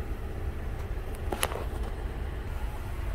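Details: 2014 Honda Odyssey 3.5 V6, 83K miles, started cold after towing in, code P0303: uneven, lumpy idle rumble with a skipping beat; cylinder 3 misfire from oil-fouled spark plug, oil burning in that cylinder.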